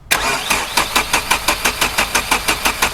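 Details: SR20DE Nissan Primera manual, sat four to five months, runs briefly then dies: even starter churn about three turns a second, never fires; no spark seen at gap, owner suspects coil.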